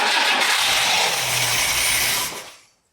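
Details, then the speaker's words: 1962 AMC Rambler, 196 cu in straight 6, abandoned 47 years, Carter AS 1-barrel carburetor: catches briefly with rough hissy rush then fades within seconds; owner unsure of fuel in float bowl, fuel starvation suspected. "was that an idol I'm not sure how much fuel is in the float Bowl still let's try it again"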